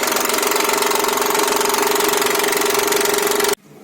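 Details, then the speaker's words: Mitsubishi Pajero engine at 354,000 km: steady fast clatter about four ticks a second while running; owner suspects timing belt tensioner, timing belt replaced. "треск именно вот такой вот слушаем по-моему предположение натяжитель не горели"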